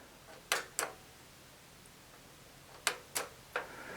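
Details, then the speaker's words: Atari 5200 with its switch box connected, showing no picture and no power LED. Crisp paired clicks sound as the power switch is pressed. The switch box relay is clicking normally, so the switch itself works. "switch box is clicking which tells me that the switch itself is obviously good"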